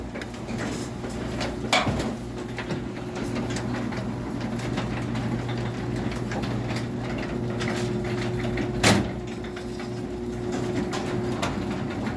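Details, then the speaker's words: Craftsman garage door opener: steady motor drone with a loud, thin, high-pitched screech riding over it as the door travels; cause of the screech unknown. "And disregard the loud screech it makes, I don't know what's causing that."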